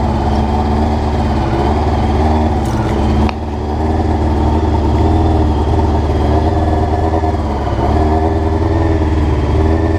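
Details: Honda CBR rough idle recorded before changing float needles; uneven, lumpy idle with a brief rev midway, then settles back unsteady; cause suspected, not confirmed.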